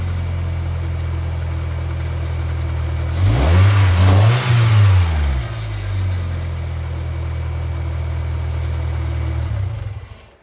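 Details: 2G Mitsubishi Eclipse running again after a long crank-no-start and a piston ring replacement for low cylinder-three compression: a steady, even idle, one quick clean rev that rises and settles smoothly, then idle before shutdown. Healthy.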